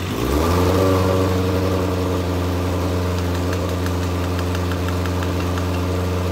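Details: Legends race car after motor swap, first start: engine catches into a lumpy, uneven, loping idle; carburetor flooding with fuel though only a two-pound fuel pump fitted, carburetors to be pulled.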